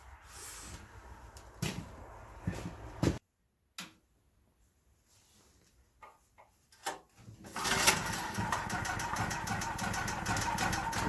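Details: New Firman generator after assembly, oil fill and gasoline, first start-up: one pull and it catches at once, then holds a steady, even run; healthy start.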